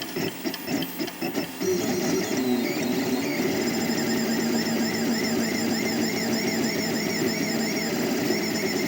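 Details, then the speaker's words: 3D printer stepper motors after fitting rubber vibration dampers between NEMA 17 motors and mounts, same print and speed: soft, dull hum with gentle rising and falling tones instead of the former high shrill whine; decibels about unchanged; steppers run quietly. "étrangement sur le sonomètre le nombre de décibels et relativement le même mais le son qui se dégage à l'appui c'est complètement différent avant c'était un son aigu un son strident un style mais maintenant c'est un son sourd qui est pas du tout dérangeant"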